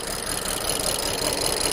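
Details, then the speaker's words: 2010 BMW 535i E61 wagon (automatic, AWD, auction car) at idle after clearing misfire codes for cylinders 1 and 5, cooling fan running (possibly AC active). Idle is still lumpy, uneven and shaky with misfires; rail pressure is being watched and reads low. "let's verify yeah that does nothing oh it does something thing all right it's still very unhappy"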